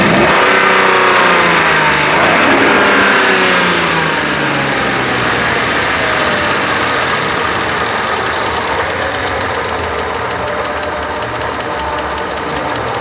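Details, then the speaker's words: 1997 Mercedes SL600 donor car V12 with coil-on-plug, started after sitting for years, running a bit rough on suspected bad gas: fast steady ticking about four per second, easing as it runs; slight lifter tick suspected, not confirmed. "sounds like it's got a slight lifter tick slight of course it has been sitting for a while so maybe it just needs to warm up and work its way"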